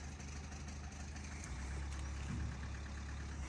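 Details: Abnormal knock at idle after the car took a hit on the road: low idle rumble with a faint, uneven tapping about three a second on top; engine also clacks, cause not yet found.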